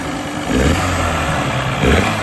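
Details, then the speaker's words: Outboard on DIY skiff, test run 4 in strong wind, after swapping to a different cleaned carburetor from a running motor with new gaskets: even idle with slight speed swells, no misses or knocking; running smoothly. "All right, motor's running good. So this is a whole nother carburetor that I cleaned up, one that it came off of a running motor, new gaskets. So far it's running awesome."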